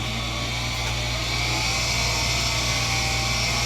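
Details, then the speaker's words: German-made Ander AG shelter air blower, hand-cranked without power (normally draws 3 A at 120 V): steady, even rush of air over low whirring hum, no scraping or knocking; turning freely, normal operation. "And the other cool thing is that if you're down in the shelter and you need air, and for whatever reason power's down, it doesn't take much to crank this thing and get air out."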